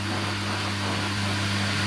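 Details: Indesit ISDP 429 Autopump spin dryer, made by Hajdu in Hungary, pump engaged: steady motor hum with an even low drone and constant whir, no knocking or grinding; spin drum and drain pump running normally.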